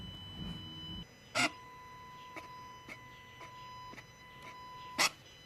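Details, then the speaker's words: VW 1.4 TSI inlet regulating flap J808 with code P10A4, cleaned with brake cleaner and dried, basic setting run with battery charger: quiet electric hum with sharp clicks at travel ends; flap now adapts and moves normally. "that's the basic things completed as you see the flap now moves makes noise does everything you'd expect it to"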